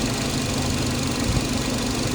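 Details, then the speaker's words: Nissan NV350 QR25 idling after timing chain replacement (previously camshaft signal error, erratic idle): steady even idle, low smooth rumble, no ticking or rattle; no warning lights, running smooth. "no eratic iing as you can see it's running smooth there no warning light on the dashboard"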